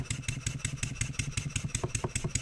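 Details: Stuart 7A steam engine running on air after a valve eccentric timing adjustment, with a tight spot still slightly present. Even chuffs about five a second, with a hard knock on each stroke when load is simulated by upward pressure on the output shaft.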